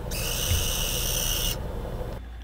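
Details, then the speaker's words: PSP Street model closed back up, which displays a good image, then the UMD drive makes a high, hissy whir for about a second and a half before dropping away: a faulty, noisy UMD drive. "Now I prematurely closed the unit back up just to hear this noise from the UMD drive."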